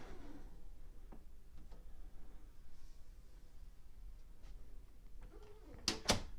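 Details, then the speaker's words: Door closer with sweep and latch speeds readjusted much slower to stop slamming: door sweeps shut slowly, then a soft latch thud; no slam, closer working normally, though the owner calls it noisy. "so again it's a lot slower now which i like really the store doesn't need to have a fast closing speed so i'm satisfied with it i think it works pretty well it is noisy"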